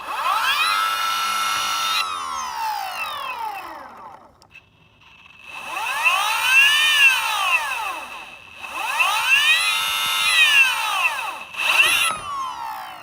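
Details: Boosted Stealth board back left hub motor spinning: rising and falling electric whine with sharp repeated loud clicking; wheel and bearings ruled out, motor faulty, replacement motor received.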